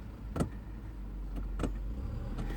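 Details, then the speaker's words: Kia no-start with multimeter on the battery, foot on brake; sharp isolated solenoid clicks with no cranking while battery voltage stays rock steady, ruling out the battery; bad starter solenoid. "you can hear the clicking of the solenoid. So it is a bad solenoid."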